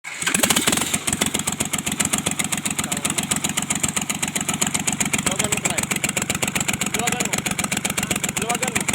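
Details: Kubota L1-255 diesel, idle: sharp, regular knocking about four times a second over a rough small diesel, with white smoke; cylinder head fault, repair: replacing the cylinder head.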